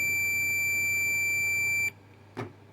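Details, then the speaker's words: Dead Onkyo SR576 HDMI board: the multimeter gives a steady, high continuous beep for about two seconds on the 3.3 V regulator output, showing that rail is shorted to ground. The input is not shorted; the 100 µF and 220 µF capacitors are suspected. "there is a short on the on the 3 Point 3 volt power rail this regulator here is the 3.3 volt regulator and there's a short on the output"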